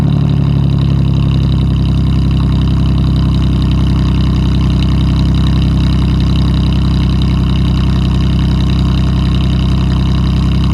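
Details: Mustang V6 with dual exhaust, 240,000 miles, cold start: cold idle with a deep, steady drone and a loose, uneven puffing tick over it, about 160 a minute, from an exhaust leak.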